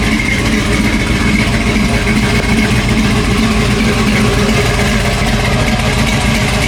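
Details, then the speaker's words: Cammed V8 with a brand-new 4L60 transmission, fresh tune, cold air intake, 60 psi fuel pressure, not overheating: a loud, choppy idle with a steady lumpy lope and no knocks or ticks. Normal cammed idle. "But we're out here, she's running. We're out here breathing. Y'all hear that cam?"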